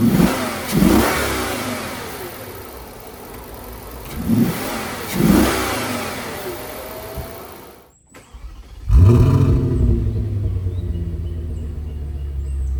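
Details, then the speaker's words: Audi D3 S8 V10 after misfire and oil leak repair (valve cover gaskets, coil packs, plugs), on the road: sharp throttle blips climb and fall cleanly, then strong even pull under load; healthy and responsive, shifting slightly erratic after battery disconnect. "It's shifting a little bit erratic, but I mean, I disconnected the battery and moved a lot of stuff around. So, >> the throttle response honestly feels so good."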